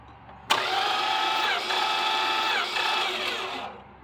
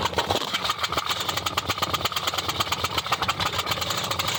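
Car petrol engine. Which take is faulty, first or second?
first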